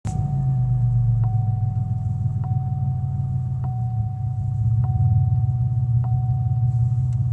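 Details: 2001 Pontiac Grand Am: loud, deep engine rumble from the motor with a faint regular tick about once a second, heard while starting; vibration and noise worsen when accelerating, cause unclear.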